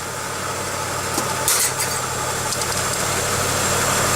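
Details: 1995 Pontiac Grand Am after removing a temporary coat hanger holding up the catalytic converter, which caused a squeak mistaken for a bad alternator bearing: brief clatter, then steady even idle, no squeak; runs smoothly.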